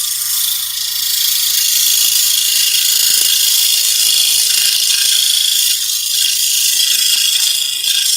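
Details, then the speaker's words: Scroll saw cutting with a slack blade: fast, uneven high-pitched chatter as the blade slaps and bounces instead of cutting cleanly. Low blade tension; tension was tightened, but it still bounced. "That blade is bouncing all over the place, so I'm going to tighten the tension."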